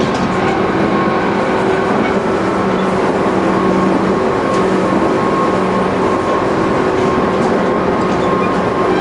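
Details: Tobu 20000 series MoHa 24803 with AFE chopper control, Kasukabe to Kita-Kasukabe, on a canted curve where the left-right load shift varies the noise. A steady rolling roar and rail clatter carry a heavy thump repeating with wheel rotation. Wheel flat.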